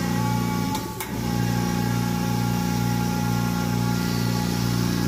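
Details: Compressor after repair, running with a steady low hum and even pulse. The earlier knocking came from a loose part spinning when it shouldn't; it was tightened and refitted, and the compressor now sounds healthy.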